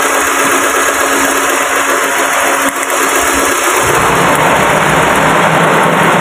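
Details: Car engine with no power and jerking, running on 3 cylinders: loud, uneven idle turns choppier and heavier midway as a second plug lead is pulled. Running on two fewer cylinders.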